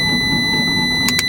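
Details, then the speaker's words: 2012 Fiat 500 1.4L MultiAir automatic, engine swapped in, cranking after sitting a long time: smooth whir of accessory belts, alternator and AC pulley with no lumpy compression beats. No oil pressure in the valve actuator brick leaves the intake valves stuck closed. "So when you go to start the vehicle, the engine will freely spin and you'll hear a whirring sound."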